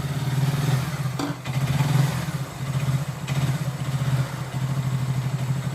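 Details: Hero Glamour BS4 single-cylinder bike, first start on self-starter after full engine rebuild, could not be kick-started: idle thumps along with a steady low pulse and only a light clatter, no knock or rattle; healthy engine sound.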